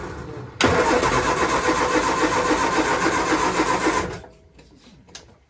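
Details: 1966 Triumph Spitfire with carburetor, timing, linkage and battery issues catches abruptly, runs rough and uneven about three seconds, then dies and won't hold idle. Helpers suspect too much fuel.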